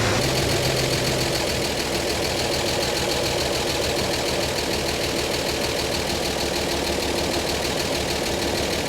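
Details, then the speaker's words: 1952 Chevy Styleline six, restarted after replacing the pump-to-carb fuel line: even idle with a light, regular valvetrain tick and no missing beats. Fuel still drips from the carb bowl. Normal idle. "oh it fired right up but of course not having any gas in the uh in the line from the pump up to the carb probably was our issue here"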